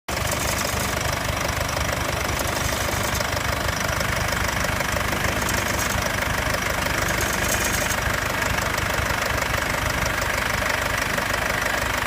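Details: 2015 Mercedes C220 CDI W205 diesel at idle after the cold-start phase: a light, fairly even metallic clinking about three times a second rides over the idle; metallic rattle, cause unclear.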